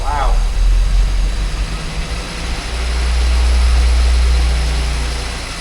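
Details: 998cc Mini Clubman, first start attempt after years: engine spins over, catches and runs rough and low for a few seconds, then fades; no fuel reaching the carburettor float chamber.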